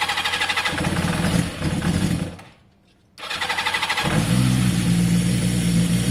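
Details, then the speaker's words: Yamaha XJ550 motorcycle first start after carburetor cleaning: starter spins, brief pause, then catches and settles into a steady even idle on choke; sounds as good as before; normal cold start and idle. "I mean, at this stage, it at least sounds as good as it did before. That's a good start."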